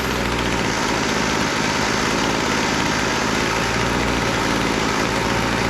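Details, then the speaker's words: Weed Eater GHT22 hedge trimmer, long unused, after carburetor adjustment (high-speed needle was too lean, low-speed too rich, wouldn't idle): steady even two-stroke buzz, no stumbling, now idling and running normally. "all right that sounds pretty good uh we need a little adjustment on the carburetor"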